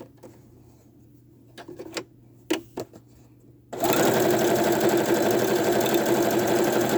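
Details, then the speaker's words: Sewing machine running fast and steady with light metallic tapping/clicking from the bobbin area; owner attributes it to a metal bobbin, not confirmed. "i don't know if you guys hear that tapping noise do you know how they say not to put metal bobbins in your sewing machine i have a metal bobbin in my sewing machine and that's what's making that clicking noise in there"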